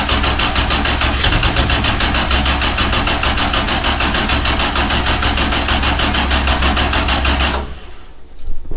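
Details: First start attempt on a new Patriot Performance 427ci LS with a solid roller cam and dry sump, lift pump only. Steady, slightly slow cranking for about eight seconds with no fire or catch; fuel smelled in the exhaust afterward. Cranks, no start.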